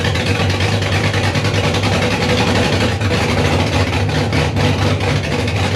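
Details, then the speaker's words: First start of a freshly rebuilt 5.3 V8 in a 260Z, after fixing fuel leaks and adding coolant: 80 psi oil pressure, but a deep, uneven loping idle with pops and stumbles that won't hold; misfire, cause unknown, to be checked with HP Tuners. "Okay. I'm running about 80 pounds of oil pressure. That's a great thing. It won't idle."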